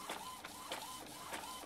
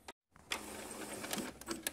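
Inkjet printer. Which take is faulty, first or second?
second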